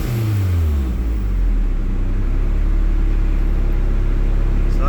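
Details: Turbo Toyota MR2 warmed about 10 minutes, idling 1000 rpm with AC on, vacuum gauge around 18–22; quick clean throttle blip settling back smoothly, no misfire, stumble or whistle; normal throttle blip.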